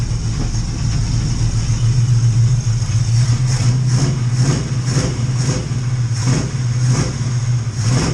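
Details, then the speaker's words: Cutlass V8 with a freshly rebuilt Edelbrock carburetor, not yet tuned, good oil pressure with temperature still low: deep rumble with uneven pulses about every half second when revved, plus some popping; rough running, cause unconfirmed. "recycling a little rough right now i have a little trouble shooting it i'm doing everything that i've seen on the uh on youtube videos that i've watched and uh this is the best i can get it running right now"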